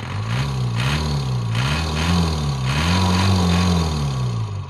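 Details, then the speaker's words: 1997 Isuzu Panther 2.5 diesel after setting the Bosch injection pump regulating valve 1 mm inward: revs climb and drop cleanly with the throttle, no hesitation or knock; engine feels very light and runs healthy. "Saya coba gas. Ini ringan sekali ya, ringan sekali teman-teman, ringan sama kering ya."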